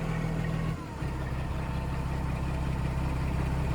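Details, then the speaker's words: Detroit diesel in a Freightliner FLD truck: steady, low, even idle with a smooth rumble and no knocks or rattles; a healthy, quiet-running engine. "God, that sounds good. I love a good, quiet Detroit."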